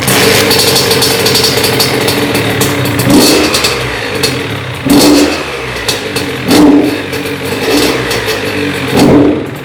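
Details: Honda CR80 two-stroke test run after cylinder head, stud and gasket replacement for a coolant leak; the coolant level held afterward. A crisp, even idle, then four quick blips dropping cleanly back. Normal running.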